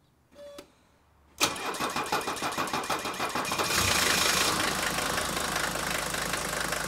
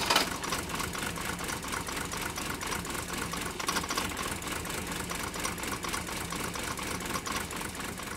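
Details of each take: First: 1980 Mercedes 300D non-turbo diesel cold start with no pre-glow and no throttle: about a dozen even cranking beats, then it catches cleanly and settles into a steady clattery idle, no stumble. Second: Mercedes 123 diesel "Digby", cold start: uneven lumpy clatter at idle with irregular misses and no steady rhythm; still running rough and smoking a lot, cause not yet found, EGR valve under discussion.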